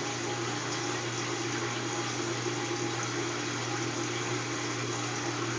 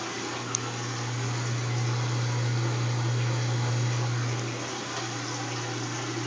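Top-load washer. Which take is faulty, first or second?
second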